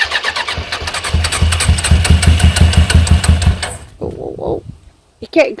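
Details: Suzuki GSX 600 motorcycle project, first start after a new switch: catches after cranking, pulses unevenly at about three per second, then dies. It is smoky, which the owner thinks is WD-40 on the manifolds. Manifold bolts are loose and the idle needs adjusting; cause is unconfirmed.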